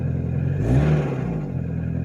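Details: Nissan Versa small four-cylinder with existing rod knock, broken down, plugs cleaned and gapped without much improvement: short rev blip with a light clatter riding on the rise; rod knock.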